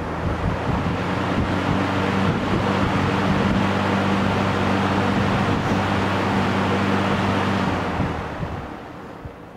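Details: Restored Markel box fan with 1968 RMR motor (2.1 A on high, 1.5 A on low) and homemade egg-crate front grille, running on high speed: steady, even motor hum with smooth airy rush, no knocking or rubbing; runs cleanly.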